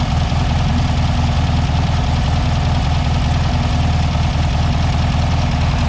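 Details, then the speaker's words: 1967 VW Beetle first start after sitting for years, oil unchecked; deep even low thrum with steady beat, no knocks or misses; idles smoothly, normal idle. "This is amazing. I know you're not going to believe me because this is just like, I can't believe how well this is working."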